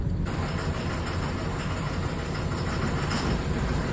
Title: 4.8 LS has misfire. SOUNDS LIKE A DIESEL PLEASE HELP